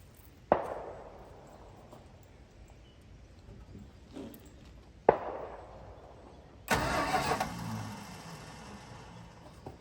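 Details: 1965 Dodge Custom 880 sedan cranked for the first time after sitting 3 years, choke held open. A couple of sharp clicks, then about a second of the starter spinning the engine freely without firing: healthy cranking, no start.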